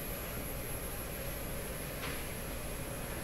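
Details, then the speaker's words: Canadian Admiral J104X/J105X console amplifier, warming up with inputs shorted: steady hiss with a thin high whistle of slowly changing pitch over low rumble from the speaker; hum and oscillation from the amp itself, cause not yet found. "that sound is coming out of this speaker so there we are there it is so slowly changing pitch as if something is warming up"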